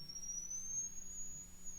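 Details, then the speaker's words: 1935 Philco 54C speaker, field coil at 40 mA and about 117 V, sweeping the test tone upward; a clean, thin whistle rising past about 6,000 Hz without rattle or buzz, normal high-frequency response. "starting to hear losing about 65 you may hear it I don't know I started hearing about there's where I start hearing it that's a little over 6,000 Hertz"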